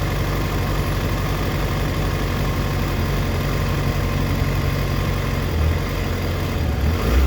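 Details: 2004 Yamaha FZ6 (running immobiliser eliminator) misfiring when dropping to idle, rpm dipping as low as 970 versus the specified 1260-1320 warm; steady low idle with uneven stumbling beat and dips. Owner suspects a bad ignition coil, a common age-related fault, unconfirmed.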